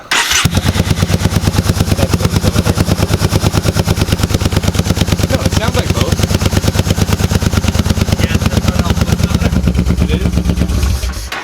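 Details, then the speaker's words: Yamaha Bolt V-twin just reassembled after Dynojet Power Commander install, primed and idling: lumpy, hollow loping idle around three beats a second; front cylinder cold, rear hot, running on one cylinder. "It's idling very weird. Yeah. Or maybe it's idling really well. It sounded like it was only running on one cylinder."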